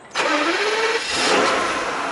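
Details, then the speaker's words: 1993 Mercedes SL600 R129 V12, 140,000 miles, cold start after standing 2 months on solar charger: quick crank catches at once, revs flare then settle to even, smooth idle, no misses or rattles; healthy start. "So I say, it's been standing 2 months. Let's see if it starts. Let the fuel pumps do their thing."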